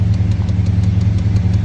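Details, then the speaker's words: Swapped V8 truck with long-tube Hooker headers and Hooker mufflers, cold start on electric choke: deep, steady, even throaty burble at high choke idle, later falls to about 800 rpm; healthy, no knocks or misses. "that's a high idle with the electric choke and she'll fall down to about"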